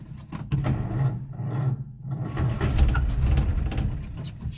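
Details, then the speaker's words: Old Nash, 6-volt system, floor starter, fence post cap replacing cracked glass fuel pump sediment bowl, couple gallons added: slow, uneven churning about four turns a second that never catches; cranking no start, suspected fuel starvation, may need carburetor priming. "is out of gas. I don't think this is going to work. I may have to prime the carburetor."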